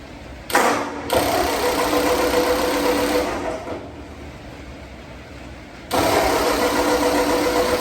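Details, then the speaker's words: Ford 8N tractor under restoration, first start since November after an earlier run of a few seconds while the oil pressure gauge was left off: fires promptly and runs a steady, even idle without knocks. Normal start. "all right we're gonna try to start it up for the first time since november"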